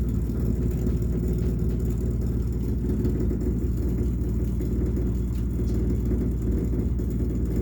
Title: Rumbling noise again